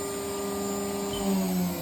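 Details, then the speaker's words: Haas VF-2SS 2009 vertical CNC mill, about 4,325 power-on hours: spindle at 12,000 rpm with same roughly 3–5% load, smooth steady high hum without grinding or rumble; bearings sound great, normal at high speed. "That last range at 12,000 RPM. Again, about the average same load. So even at that high RPM, the bearings sound great."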